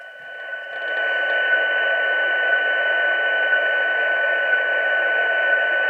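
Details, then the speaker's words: Xiegu G90 radio on firmware 1.80, antenna disconnected and volume raised: faint high ticking once every second over receiver hiss, interference from the radio's once-a-second serial data output on the COM connector. "Um, and that is this ticking noise that comes from the UAT. So, disconnect the antenna. Increase the volume."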